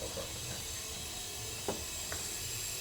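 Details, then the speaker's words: BMW E36 M3 S52 engine leak-down test on low-compression cylinder, engine off: steady high air hiss with faint ticks, air escaping on exhaust side; exhaust valve or gasket suspected, valve most likely, not confirmed; rebuild planned. "Yeah. Something definitely on the exhaust side. Whether it's an exhaust valve or the gasket is leaking."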